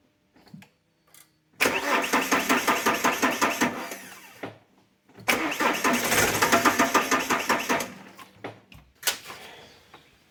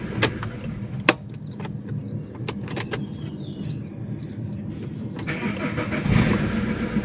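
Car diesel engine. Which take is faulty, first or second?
first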